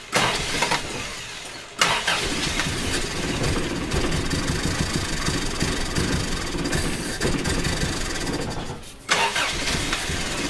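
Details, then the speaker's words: Four-cylinder engine running again, coil giving spark but apparently not reaching all four cylinders; distributor suspected: after cranking it runs lumpy and uneven with a stumbling beat, like it isn't firing on every cylinder; rough running, misfire. "oh it's really running like a bit of a bit of a piggy"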